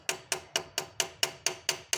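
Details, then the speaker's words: GM Corsa VHC 1.4 engine: sharp, even metallic hammer-like ticks about four per second from the top of the engine at the valvetrain, hydraulic lifters bleeding down and tapping. "Tipo motor funcionando e fazendo esse barulho de Martelinho bom então esse barulho é aqui na parte de cima do motor barulho no comando de válvulas são os tuchos né"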